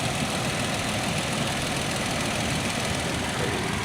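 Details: 2012 Toyota Tacoma at idle right after replacing the EVAP purge valve while chasing a P0456 code: a steady, even idle with a soft regular beat and no stumbles, hiss or knocks; normal.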